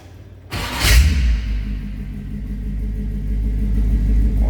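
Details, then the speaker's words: 1932 Ford Roadster street rod, 350 Chevy V8, Turbo 350 automatic, Flowmaster dual exhaust, a little over 7,500 miles. Starter cranks briefly, then the engine catches into a deep, steady, even burble with a nice rumble: a normal start-up. "So nice sound again, nice little rumble to it out of those Flowmasters."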